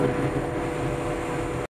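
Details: Bomag BW211D roller diesel at high idle with a steady, even drone and no knocks or misses until shutdown; oil pressure 5 kg at low idle, 7 kg at the rear gauge, and the low-pressure warning was traced to a faulty pressure switch.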